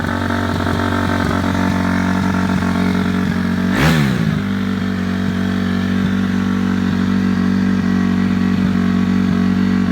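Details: Cold 2006 Honda CRF250F single at about 25°F, before teardown; steady even idle with a brief rising swoosh partway, no knocking or misfire, starts and idles good.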